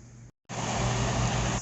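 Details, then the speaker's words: Electric heater fan motor after oiling (had made nasty noises before), blade back on: smooth steady hum and soft air rush with no squeal, grind or rattle; quiet, healthy fan motor after repair. "yeah there it is nice and quiet"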